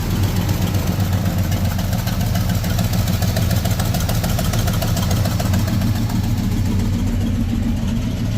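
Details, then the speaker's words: V8, first start after sitting two years, new battery: loud, harsh idle with choppy uneven beat and rasp up front; owner suspects a cracked or leaking exhaust manifold or a misfire, unconfirmed. Oil pressure present. "Sounds like my manifold is cracked or leaking, but that's a minor problem, I suppose. or she's got a misfire."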